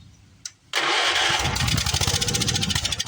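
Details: Old Wheel Horse mower, sat unused in garage after quitting, fired on the carburetor after spark checks: short crank, then small single-cylinder settles into quick even chug, no misses.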